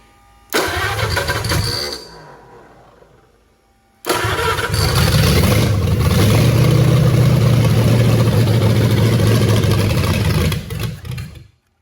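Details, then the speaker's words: 1927 Roadster flathead V8 fed through a temporary rubber line teed to the carbs: a brief catch that fades, then a longer uneven run that sags and quits; the carburetor float bowls probably aren't full yet, so it's likely fuel-starved. "I think we're just probably run. The blows aren't full yet."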